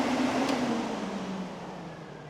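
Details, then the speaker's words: 1966 Dodge Coronet restomod with Gen 3 Hemi swap, electric radiator cooling fans powered by jumper wire: steady strong whooshing roar with faint motor tone slowly winding down; normal fan operation. "the fans fired up and they're super strong. We're going to get a lot of really good air flow through these fans and so that's exciting."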